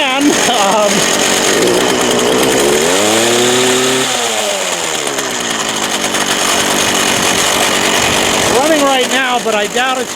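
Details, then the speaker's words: Craftsman 19-inch 25cc gas hedge trimmer, choked, bad fuel lines, gas of unknown age: small two-stroke buzzes then sags and labors as revs drop, climbing back unevenly; engine bogging, fuel or carburetor suspected. "going to stay. And it really fogs [Music] down. I'm surprised it started. I don't know how old the gas in it is."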